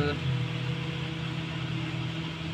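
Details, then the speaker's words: Polytron two-door fridge, freezer not freezing and bottom not cold, after defrost bimetal, heater fuse and fan were replaced; on power-up the fan runs and blows air, giving a steady low hum with even fan whirr. Normal running. "nah kipasnya sudah hidup teman-teman ya anginnya sudah keluar oke nah Ini udah normal nih teman-teman ya"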